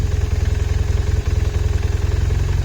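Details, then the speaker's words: BMW R1150RT boxer twin at idle: a fast, even rattle over the low thump appears when the clutch lever is released and stops when it is pulled in; owner suspects clutch disc or primary-shaft spline wear, disassembly needed. "начинает тарабанить Ну я смотрел видео ребята говорят что это типа уже износ на шлицах появляется либо уже диск скорой замене"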